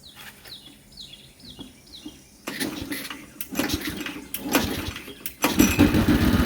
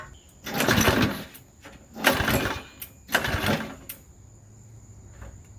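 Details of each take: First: Modified Briggs and Stratton single-cylinder engine with homemade oil flicker, refilled with 12 oz 10W-30, starting and running steady, even putter with no oil leaks, misses or knocks; normal running. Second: Modified Briggs and Stratton engine for an airplane project, new crankcase oil flicker, bungee-corded to a chair, primed and pull-started: three short one-second bursts of firing dying between pulls; catches but won't keep running, gas leaking out.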